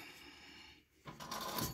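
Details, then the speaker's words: 1984 Mercedes 300SD W126 rear end, axle removed and hub turned by hand: quiet then gritty uneven crunching; failed rear wheel bearing. "show you what a bad wheel bearing sounds like nice and crunchy kind of like you know that captain crunch cereal that rips the roof"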